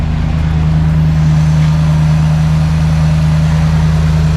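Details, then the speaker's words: Ford Transit V8 after the exhaust manifold was repaired and refitted (it sounded terrible before, especially in the cab): the first start gives a deep, even V8 burble at steady idle with no ticking or exhaust puffing, a smooth, healthy idle. "Oh wow, that sounds beautiful. That sounds absolutely unreal."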